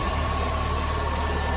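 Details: Ford Fiesta at idle with the AC switched on, heard in the engine bay: steady idle rumble with a constant rough, gritty undertone and a thin fixed ring. The engine is quiet with AC off and the fan engages normally; cause not identified.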